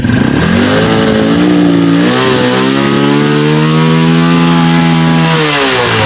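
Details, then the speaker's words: Carburettor-type motorcycle the owner says runs out of power and dies when revved and stalls when hot; kick-started in one kick and revved in a test. Engine pulls cleanly and steadily with no stumble or bogging: it does not lose power. "Hindi naman po siya kinakapos Okay lang po yung"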